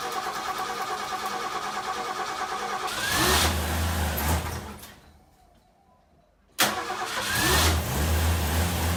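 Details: 1960 XK Ford Falcon on its first start in about 12 months. A short crank, a brief even idle that dies, then it refires into a steady, smooth idle; healthy start, though fuel was then found dripping from the carburetor.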